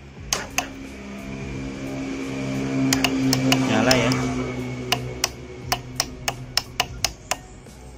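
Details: Honda Astrea Grand motorcycle starter only clicking: sharp single clicks about three a second with no cranking; power not reaching the starter motor, traced to a brittle, likely damaged starter cable to be cut and replaced.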